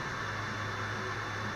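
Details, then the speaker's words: PS4 console fan, louder than the owner's PC, owner unsure why: constant airy whir with a faint steady high tone and no change in speed; loud fan noise, cause unconfirmed. "sorry about my PS4 I'm not sure why it makes too much I mean not even my PC makes much noise"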